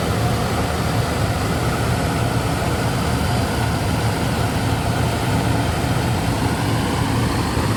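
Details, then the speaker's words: Brand-new zero-mile Toyota 1FZ-FE engine, cold after a night camping, new OEM exhaust: smooth, deep, steady rumble with no ticking, knocking or misses; healthy fresh engine. "Joe took me out for a spin, keeping an eye on the scan tools. That's Joe Risavi, by the way. Everything looks good, sounds good."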